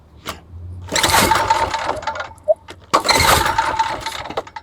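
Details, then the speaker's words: Old Homelite 3500W generator after service, recoil start attempts: pull-start rasps with brief sputter but never catches; choke was left off, causing the failed start. "Oh, I had the choke off. That was the problem. Silly me."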